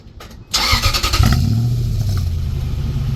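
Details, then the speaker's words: Truck with the muffler removed, before a muffler patch repair: it cranks, catches and barks into a loud raspy rumble that stays coarse at idle. Loud open exhaust from the missing muffler. "now I'm going to go ahead and show you what this sounds like with the muffler off"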